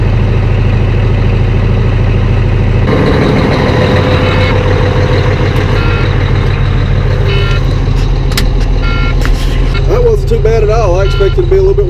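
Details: Volvo truck diesel idling to warm up after cold start at 8 degrees in snow, eight batteries, gear reduction starter: deep steady drone, no misses or knocks, yard noise and beeper behind; healthy normal cold idle.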